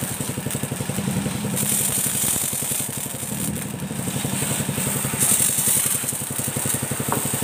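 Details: Motorcycle-wash pressure washer engine after replacing parts to fix weak water spray, running without the throttle opened. The small engine chugs at an even, steady idle under a strong hiss of spray; running normally.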